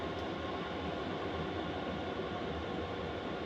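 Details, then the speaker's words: Diesel heater installed in a VW Vanagon, set to maximum power after ramping up: steady even whoosh of the combustion fan at its loudest, drawing 3 amps from the batteries, no fuel pump ticking heard; normal running. "So that's running full tilt. That's as noisy as it gets. It's pulling 3 amp hours on my batteries on high."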